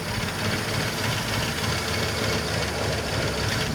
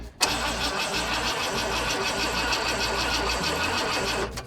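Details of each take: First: 1985 Ford Econoline E-350 box van V8, revived after sitting for years, restarted after a further fix: starts right up and idles evenly with a steady rumble, no misses or knocks, though still a little smoky; normal idle. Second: 1985 Ford Econoline E-350 box van, sat for years, cranking on starting fluid: rough, labouring crank for about four seconds that never settles into a run; owner says it sounds like timing is badly off; hard start, cause unclear.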